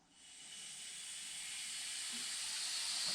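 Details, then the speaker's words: Steady high hiss building as air is first put into a cheap blast cabinet setup from a charged compressor (compressor off): air escaping from an open drain. "Ooh. What we got? What we got? That'll be it then. That's a drain."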